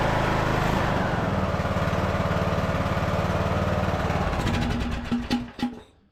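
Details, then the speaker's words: Craftsman LT2000 riding mower, sat for a couple of years, first start after carburetor work with the air box not fitted: the engine chugs unevenly for about five seconds, sputters and dies; stalls after starting, cause not pinned down. "Well, that was a little disappointing. Let's see if we can get it to run for a minute."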